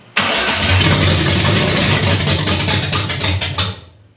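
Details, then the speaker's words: 1965 Nova wagon 327 with an Edelbrock AVS2 carb at first start: it fires on a little fuel in the float bowl, runs rough about three seconds, then dies. The fuel filter stays dry as the pump struggles to pull fuel, a fuel starvation stall. "up not fast enough [Music] nope filter still dry I wonder if we're having a problem picking up cuz it's having to pull it up pumps don't like to pull"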